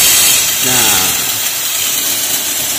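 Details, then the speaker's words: Two-door refrigerator not cooling: strong steady high hiss of much refrigerant escaping at the cut near the filter dryer, gas trapped there and not circulating to the capillary; clogged filter dryer. "Setelah didengarnya itu kita Lepas itu freonnya banyak yang keluar di dekat dengan dryer bisa dilihat kalau iya berarti bisa disimpulkan bahwa realnya itu terjebak di dryer"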